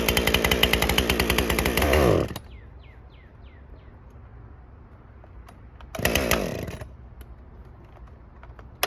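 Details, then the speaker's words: Husqvarna 550 XP Mark II chainsaw, cold start, after plug found very wet: screams then abruptly dies on first trigger pull, later burst cuts out again; bog from fuel settings being off. "when I first started running that obviously the first time I pulled the trigger it just went you know so the fuel settings are off"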